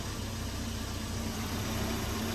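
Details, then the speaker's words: 1982 Volvo 242 Turbo with K-Jetronic injection, first revived run on jack stands: a steady airy hiss from the intake area over a rough low idle. It stumbles on acceleration and builds no boost; a vacuum leak is suspected. "uh I think it's got a vacuum leak you hear that kind of hissing noise from like the intake area that's what a vacuum leak sounds like"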